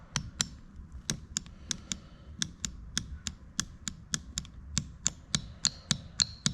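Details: BMW E39 M5 VANOS solenoid valve on the bench, cleaned about five times: crisp sharp clicks at about two per second with no buzzing or sticking. The clean valve switches freely.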